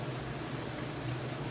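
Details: Hotpoint dryer after belt replacement, blower wheel cleaning, vent snaking and tensioner arm readjusted to engage belt switch: steady even whoosh with low hum, no thumping, squeal or scraping; drum and blower running smoothly.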